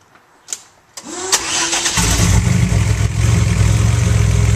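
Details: Buick fitted with newly installed Bailey Engineering TR6 ignition system (harness running waste-spark smart coils from current V6 trucks, higher spark energy), 2012: a few clicks, short crank, catches cleanly and settles into smooth, steady low idle; normal start and idle.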